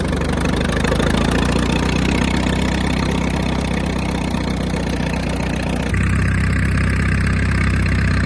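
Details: 1938 Farmall F-20 tractor revived after 20 to 30 years in a barn: steady, even low chuffing at a fast idle with no knocks or misses; the old engine runs fine.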